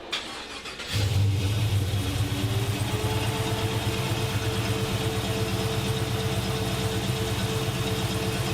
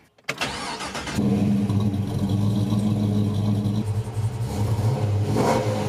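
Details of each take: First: LS3-swapped 1963 Chevy Nova wagon, about 10k miles since the swap: it catches and settles into a lumpy idle with a steady stumble. Cylinder seven is dead and cold, a misfire from a poorly seated coil harness connector pin. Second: LS3-swapped 1963 Chevy Nova wagon, after a persistent misfire was found and fixed: the engine catches instantly, flares, then settles into a smooth, even run with no stumble. All cylinders are firing.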